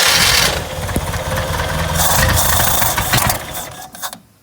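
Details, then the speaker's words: 1969 International Scout, long stored, early start attempt with the coil wired up: engine catches and runs unevenly, stumbling and sagging before fading; the accelerator pump is broken and not hooked up. "the accelerator pump is not hooked up on this thing it is broke so you gotta kind of deal with it a little bit"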